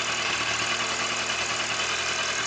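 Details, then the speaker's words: Kawasaki ZZR1100 D, cold, just started with the replacement fuel pump: an even, smooth idle with a bright, busy top end and no misses or stumbles; the earlier bad cold starting was traced to the fuel pump. "It starts. Let's see, there it is. Okay, at first touch without anything. It was the bloody fuel pump that drove me crazy, but it drove me really crazy, huh?"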